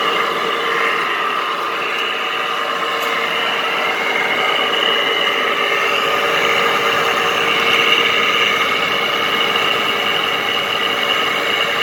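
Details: 2010–2013 Frigidaire window air conditioner with a Toshiba compressor and Welling fan motor, left outdoors at least 3 years, running: steady hum with a harsh, raspy whir from horribly worn fan motor bearings.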